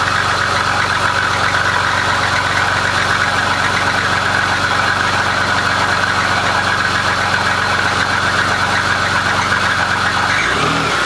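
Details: BMW E39 525i petrol engine idling with a loud, busy clattery rattle from the engine bay with no clear steady rhythm; the cause is not identified.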